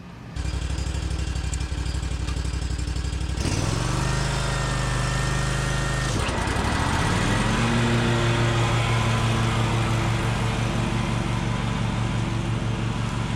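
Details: Bad Boy zero-turn mower, fire-damaged engine repaired, drive pull fixed and new blades fitted, mowing: smooth even drone dips briefly as load comes on, then settles and pulls steadily; nice even cut, healthy.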